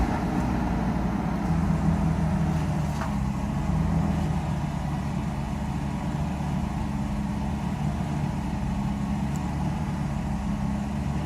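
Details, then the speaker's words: Mercedes 600SL first start after sitting a few days, cold, with both original and replacement mass airflow sensors installed and fuel very low: a smooth, even low rumble with a faint hum, no knocks or misses. Normal cold-start idle. "this is the cold start as you can see rpms are gone right direction everything's just fine"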